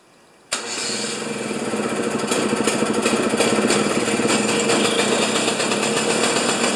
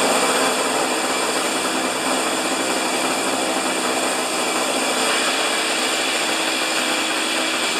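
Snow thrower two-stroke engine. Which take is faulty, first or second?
first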